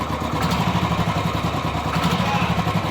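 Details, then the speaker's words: Royal Enfield 350 single at idle: fast light "khatpat" ticking over the idle beat; valvetrain ticking from excess play in the cam timing gear. "खटपट खटपट आवाज कर रहा है"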